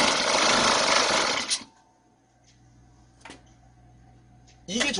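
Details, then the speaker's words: Two-stroke chainsaw/brush cutter started on choke but choke not lowered: harsh rough running for about a second and a half, then abrupt cut-out; closed choke makes mixture too rich and stalls engine. "Vì cuộn cảm không được hạ xuống, động cơ bắt đầu tắt mà không có điện."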